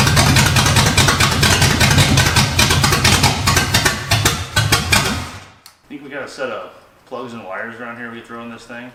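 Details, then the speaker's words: 1969 Pontiac GTO Judge pulled from a barn, first runs with a rough, lumpy V8 idle popping and spitting as cylinders drop out and pick back up; owner suspects old plugs and expects a new set would help. "It runs very very consistently. Yeah, you can hear it popping and spitting and picking up cylinders."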